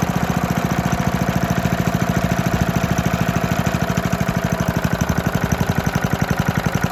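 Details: 1972 Hayterette mower, very worn and hard to start, run cold on fresh fuel after sitting six to seven months: a strong, even single-cylinder beat with crisp, regular exhaust pulses, running healthily once started.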